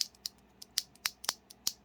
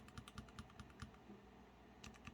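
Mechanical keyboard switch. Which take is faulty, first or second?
first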